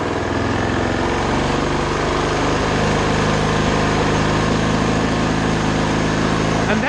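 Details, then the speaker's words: 2020 Toro TimeMaster 30-inch self-propelled mower running at the factory-set speed without the throttle: a steady, even buzz with no surging or misfire, a normal rated engine speed. "that's kind of where it was, factory set without the throttle."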